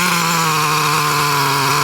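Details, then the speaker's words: Traxxas T-Maxx 3.3 nitro engine with OS carb, aluminum flywheel and clutch, warmed up: high buzzing, fairly steady with slight wavering; low-speed needle set too rich, low end loading up. "You can hear the low end starting to load up a little."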